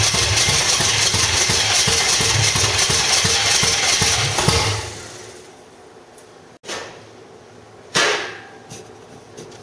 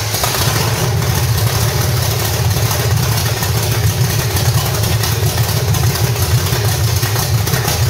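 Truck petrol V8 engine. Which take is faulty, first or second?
first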